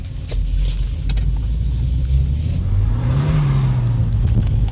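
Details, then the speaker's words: Volvo 940 Turbo (manual) after a pressure issue was fixed: deep engine note climbs smoothly at full throttle in third gear with no hiccups or misses; running better than ever. "let's try third gear from rpm pedal in the floor and it just goes no hiccups yeah this car is running great it has never ran this good"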